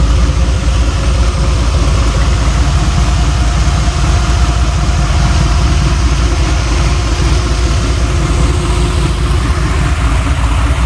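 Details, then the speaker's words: Turbocharged C20 Chevy V8 with exhaust on, run with a plug missing: lumpy idle with an uneven miss and a faint tick from the open plug hole. "these plugs it's got one plug in that's not very heavy you kind of hear the Miss"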